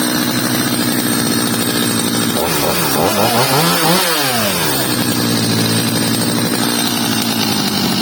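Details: Stihl 230 chainsaw after repair, fitted with a new bar and chain: settles at a steady high buzz and revs cleanly up and back down with no bogging or stumble. Normal running.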